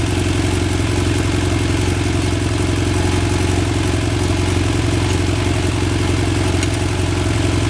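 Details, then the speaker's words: BMW F800 motorcycle twin idling: fast, steady metallic clatter over the low exhaust beat from a deflated cam chain tensioner or incorrectly set adjuster, before tensioner install. "okay so this is what a deflated cam chain tensioner will normally sound like"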